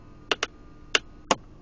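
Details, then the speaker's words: Chrysler Pacifica, intermittent sharp dry clicks over a faint hum from the rear of the center console about 20 seconds after every start with A/C on. Began after the dealer replaced the shifter; owner suspects the console was reinstalled wrong, screws missing. "I want you guys to hear a noise that noise for some reason comes out of the center console every time we turn on the car and air conditioning is on"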